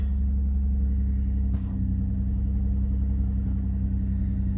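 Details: 2005 Nissan Murano towed in with dash lights on and running poorly; after the temporary reassembly it starts and holds a steady, smooth low idle with no stumble or surging: engine idling normally.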